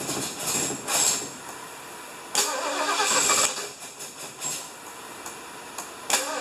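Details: 1975 Lincoln, just reassembled, first start attempt: the engine spins over in uneven bursts but never runs on its own. Crank-no-start, likely because the distributor is one tooth off; the plan is to lift it, reseat it and set timing.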